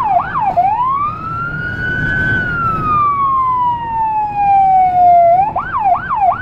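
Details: Federal Signal Rumbler siren on a small emergency car in Budapest, dashcam audio from inside: a yelp then slow wail sweeping roughly 700 Hz–1.5 kHz over traffic, with a deep throbbing 180–360 Hz rumble beneath; working normally.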